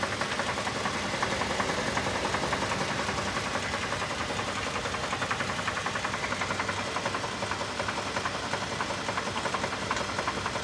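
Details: 2024 Toyota Tundra Limited, 17,200 miles, started running rough and now won't start: a steady rapid knock close to three per second over a rough idle; serious internal knock, owner suspects a blown engine.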